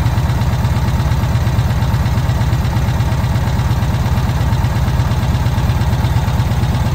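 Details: VW Kombi engine after a carburettor jet change, idling while the air mixture is set: even, steady low idle of about three beats a second with no hunting or stumbling, mixture sounding well balanced; normal idle.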